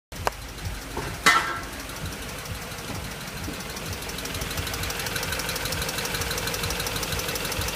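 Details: BMW X5 after timing job: a couple of sharp knocks, then faint fast ticking over steady idle; engine ticking noise, cause unknown.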